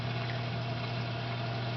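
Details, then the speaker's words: 220 reef tank sump after muffler fitted on the loud pipe: pipe noise gone, only a soft steady low pump hum, no gurgle or rattle; pump running quietly and normally. "Now the only thing you can hear is that hum from that pump. And that humming is not loud, really."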